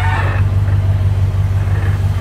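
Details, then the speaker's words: Worn 1957 Chevy convertible, over 250,000 miles, at idle after tightening loose exhaust manifold bolts that caused a leak: deep even exhaust pulse at steady slow idle, former clacking gone; sounds sealed; normal idle. "I'll pick it sealed up because even at idle before you hear that clack clack clack in the exhaust"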